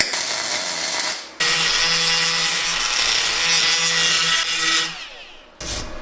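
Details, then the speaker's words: YesWelder DP200 MIG welder tacking a 1988 Honda CR500 frame: harsh, uneven hiss that drops out and restarts instead of a steady crackle, an erratic arc because the tip was held too far from the work. "Whoa. What happened there? Tip too far away."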